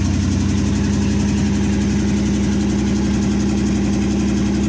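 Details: 1963 Chevy C10 with 355ci V8 (350 bored .030 over) and Turbo 350, second-ever start after years sitting, vacuum leaks likely fixed and timing adjusted: even steady idle, regular low pulse, no misses, hiss or ticking; normal idle.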